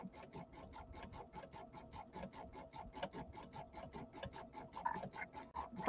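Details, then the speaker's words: Embroidery machine satin-stitching an in-the-hoop ironing pad: fast even stitching taps with a light, sharp click on each stroke, caused by a needle that needs changing; no skipped stitches are apparent. "can you hear that little clicking sound I don't know if you can hear it very well there's a little clicking sound and that's actually the needle I should have changed my needle"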